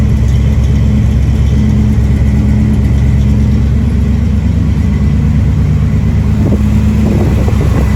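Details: 1973 Dodge Dart V8 just returned to running, ignition timing set slightly too advanced, cold rainy day: deep V8 revs with roughness and near-stumble under throttle, struggling; engine stumble from over-advanced timing, to be dialed in.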